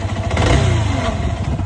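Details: Yamaha R15 V3 before repair, under light throttle: an uneven, clattery beat over the exhaust note, caused by a burnt magneto coil.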